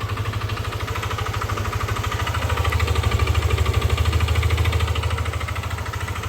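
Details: Yamaha Aerox v2 scooter at idle: quick, regular pulsing thump about three times a second over a deep drone. A noisy engine, cause unclear.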